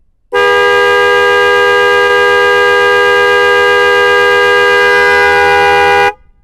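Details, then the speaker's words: Yamaha Vixion motorcycle fitted with two Denso snail horns via a 30A 12V relay and fuse, replacing the weak stock horn. A loud, steady two-tone train-like blast holds evenly for about six seconds with no rasp or fading. A normal horn blast. "Oke, kita klakson lagi. Kayak kereta guys suaranya."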